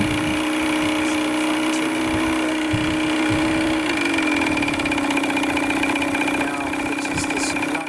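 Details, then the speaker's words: Vintage Evinrude/Johnson 35hp outboard after bad gas was purged, started after over 24 hours: it holds a steady idle, pitch dipping slightly then settling evenly. It runs better once warm, where before it would not keep idling. "Once it warms up, it's even better. But I never used to get it to idle for any period of time at all."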